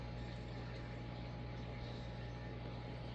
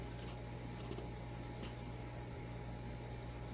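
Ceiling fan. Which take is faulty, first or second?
first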